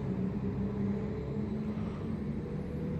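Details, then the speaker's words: 2008 Acura TL 3.2 V6, almost 200,000 miles, check engine light on: lumpy, uneven low idle rumble; codes P0300, P0302, P0303, P0305 show cylinders two, three and five misfiring. "five misfiring three misfiring multiple misfiring it's two three and five are misfiring"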